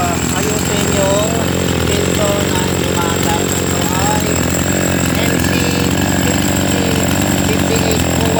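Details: Chainsaw after carburetor inspection and idle adjustment for a no-start: high, buzzy two-stroke run holding steady pitch without sputtering or dropping out; normal running.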